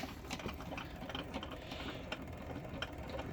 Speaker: I have a 1962 Sprunger Brothers wood lathe made in Topeka, Indiana, USA. And I think I have a shot bearing.